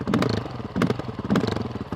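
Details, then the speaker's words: Honda CRF450RL single-cylinder with Athena GET ECU, idling lower than it should: rough idle lurching every half second with sharp bursts and sagging beats; TPS and throttle checked, cause unclear. "The other thing with the GET, for some reason, I can't smooth my idle out. You can hear it. It's idling a little lower than it should be."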